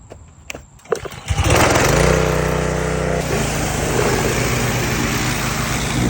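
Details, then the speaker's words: Husqvarna hydrostatic riding mower, 337 hours, measured 104 dB: cranks, catches and settles into a harsh, very loud raspy bark at fast idle; exhaust leak ahead of the muffler, fixed by welding exhaust. "The only problem is it is loud. And I mean loud."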